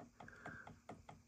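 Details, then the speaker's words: 1957-58 Heathkit Marauder HX-10 VFO tuning drive train as the dial turns: light sharp ticks about two to four a second, caused by end play between the two tuning-shaft collars. "you see how now you hear it clicking it's clicking only because there's a little bit of play between these two collars but that's the only reason"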